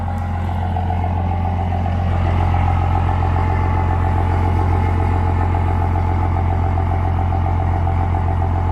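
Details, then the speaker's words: 2005 Ford F350 King Ranch, 24V 5.9 Cummins diesel, odometer 199,549: loud, deep, even chug at idle with an open exhaust note and no knocks or misses; normal idle. "sounds like a nice straight pipe cummins honestly"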